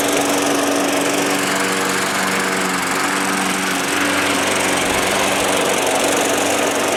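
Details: Small engine that sat all winter, primed about five times, cold-started: steady, even drone with no misses, surging or knocks; it runs pretty good.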